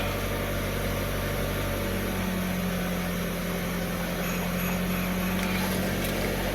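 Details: 2011 Kia Rio after a no-start was fixed by repairing the engine control module and replacing a burnt capacitor: steady low engine hum at idle with a faint even tone, no stumbling or misses; starts and idles normally.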